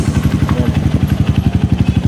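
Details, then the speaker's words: Honda CRF150 after oil-starvation repair (new rocker arm, cam, rocker shaft pin, valve guide), idling after a week unused; fast, sharp raspy chuff each firing pulse, about nine a second: exhaust leaking where the header gasket is missing. "Meron lang singaw na part dito sa kanyang exhause."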